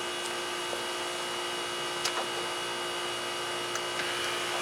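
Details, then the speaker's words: 3rd gen Firebird headlight motors, both sides replaced (one had failed), tested with battery hooked up and lights off: steady even electric whir, light clicks, no grinding or straining; motors work normally, though the headlight itself isn't lighting. "The headlight's not working though, but that's okay. That is okay. Headlights, easy. The motors work."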